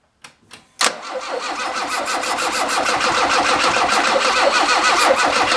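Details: Alfa Romeo with a SPICA mechanical fuel-injection pump that runs too rich; after fuel-system checklist work, a couple of short cranks, then it catches into a busy, slightly uneven idle. Rough running points to fuelling; the pump may need replacing, unconfirmed.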